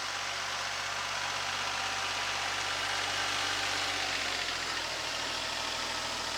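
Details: Kubota SL28H tractor with KLH350-PSL loader clearing snow, sub-transmission high at about 4 km/h: harsh high-pitched screech over the diesel, from a loose alternator belt; it stopped after the belt tension was adjusted.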